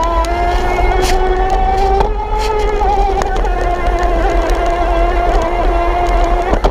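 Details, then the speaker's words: Kranked E Squared mid-drive (18:1 step-down) on a Santa Cruz V10, throttle-only up a steep hill without pedalling: steady, mid-pitched buzzing whine holding level, not struggling. Normal motor whine under load. "Not even gonna have to pedal. Just like cruising right up it. And it's really not struggling or anything."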